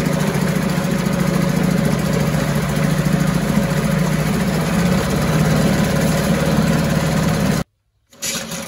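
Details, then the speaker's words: 1974 US-made Mercury 4 hp single-cylinder two-stroke outboard, revived after long storage, running in a test tank after reassembly: smooth, even buzz at steady speed for several seconds, no misses or surging, runs like a top; normal running. "I think that's right I'm pretty good love it runs like a top"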